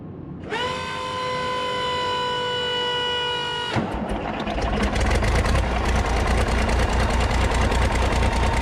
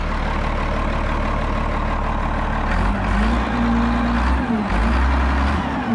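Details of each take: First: 8.3 Cummins diesel in a road grader, starting after rebuild, revved to purge air: rough clatter after a hissing start with uneven low knock hard to pin down; owner unsure, possible lower-end knock; oil pressure rose when revved. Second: Road grader 8.3 Cummins diesel after rebuild, pump drive removed from back of crankshaft which mostly cured a knock: even idle picking up smoothly under throttle, no knock or miss; running healthy.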